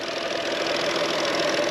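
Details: VW engine after a water pump replacement and a test drive, with heat working: steady, even hiss-and-hum idle with no knocks or misses at an unchanging level; idling normally.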